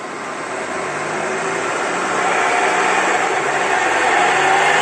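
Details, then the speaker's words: BMW X4 F26, 90,000 km, running on a lift: steady hum with thin whine rising with speed from zero, rear differential bearing wear caused by oil-restricting sleeve starving it of oil. "вот надеюсь вы слышали как редуктор будет гул слышно вообще со скорости с нуля"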